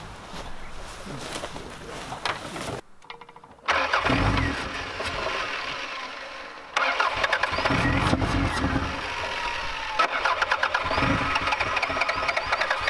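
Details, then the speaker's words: Repeated starter cranking bursts with no catch; engine turns over but never fires after running earlier; owner suspects a fuse or relay going bad, with possibly bad fuel and an inaudible fuel pump also suspected. "the ignition's not firing cuz I did try to start it up a little while ago and it was working but now it's just not even firing so there's a fuse or Reay or something going bad"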